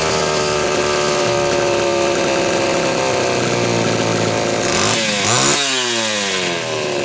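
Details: Homelite Super XL chainsaw test run after a loose cylinder nut, gasket, starter and filed, gapped points were fixed; retuning underway: steady two-stroke buzz, then revs up and falls back cleanly; running normally, carburetor near tune.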